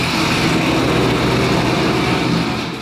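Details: 2019 Roush Stage 3 Mustang V8, first start after engine failure, cam sensor working: loud uneven rumbling idle with a loping cam chop, holding on its own without throttle; normal aggressive-cam idle.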